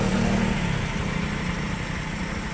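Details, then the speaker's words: Honda Beat scooter after hard-start fix, restarting easily and idling smoothly, but a light quick ticking rides over the idle; tick source unclear, while mechanics believe the fault lies away from the ECU. "ayan yun lang ang problema may tick tayo"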